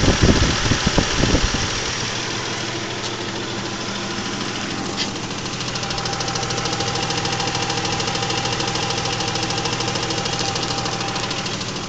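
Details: 2000 Isuzu Trooper idling with a steady tick about three per second, much louder after changing from Rotella T6 5W40 to Mobil 1 15W30 oil and louder from underneath; owner asks whether crankshaft bearings.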